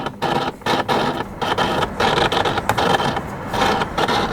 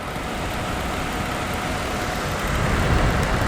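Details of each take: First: Dehumidifier said to make weird noises and not always come on: powered up, then on high speed a loud buzzing hum with steady tones; fan bearing suspected going, unit hot. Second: Dehumidifier after the stuck, loose motor shaft was pushed back down with a screwdriver: steady airy fan rush with an even low hum on high speed, no rattle or buzz; now quiet and working normally.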